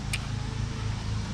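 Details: Original 1984 lawn mower, ready to return to its owner after blade pulley repair and carb work (only-runs-on-choke problem): low, even engine drone with a steady beat, no misses or knocks; runs smoothly.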